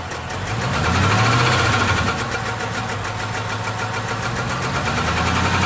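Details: 6.1L SRT8 Hemi V8 with a random cylinder misfire. Uneven, stumbling run with a light tick over the rumble and an irregularly breaking beat; it idles and runs rough with ticking, and the cause is unknown.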